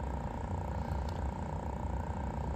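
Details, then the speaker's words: Honda V45 Magna fuel pump, run with the ignition on during a pressure test on a disconnected fuel line, gives a steady, even electric hum with constant pitch. It maxes out just under 11 psi with proper volume: normal fuel pump operation. "So now that you spray fuel all over your bench, yourself, your hands, and Carl's tools, Mr. Kolb, you know that it's got the proper volume and it's got the proper pressure."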